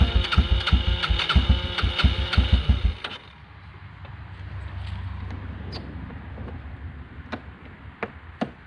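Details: 1996 Yamaha Timberwolf 250 ATV single-cylinder, after fuel system cleaned and bad gas drained (previously wouldn't stay running): quick even thumping for about three seconds, then shut off; starts and runs cleanly.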